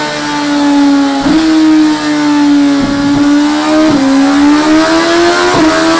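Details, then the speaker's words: 2017 Suzuki GSX-R1000R with HM quickshifter: engine pulls hard with quick clean pitch drops at about four gear changes, no stumble; upper gears very smooth both up and down, lower gears possibly still needing sensitivity tweaking. "there we go that sounds good sounds good upper gears very smooth yeah nice and smooth both up and down"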